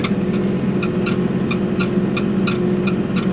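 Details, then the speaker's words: Kubota Grand L3560 cab tractor pushing snow: a steady tractor drone with a light creak roughly every third of a second over bumps, from the hard cab seat squeaking. "I don't like this seat. It's too hard. Makes all them rackets creaking and carrying on."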